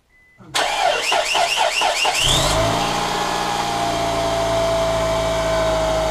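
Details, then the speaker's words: Engine just started after a timing belt and water pump change: about six quick rising chirps right at startup, then a steady idle with a faint whistle; not the new water pump, owner suspects a belt too tight, possibly power steering, not confirmed. "there's a chirp when I fire it up I'm not sure what that is I thought it was the water pump because you heard the water pump uh chirping but that ain't it because it's a new water pump it looks like a belt too tight"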